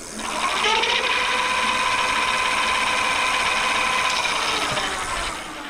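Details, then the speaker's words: Bafang G900 750W rear hub motor on a 29" MTB, spinning unloaded at 57.6 V and reading 33–34 mph: a smooth rising whine as the wheel spins up, holds steady, then winds down with no grinding; normal hub motor run. "It says we're going 33 unloaded 34 at 57.6 volts. 34 mph. 57.6. That sounds cool. Listen to it."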